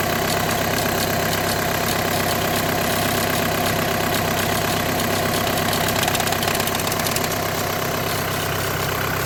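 Steady idle with an uneven rattling buzz layered over it points to a vibrating clutch plate or worn bearing in the DSG.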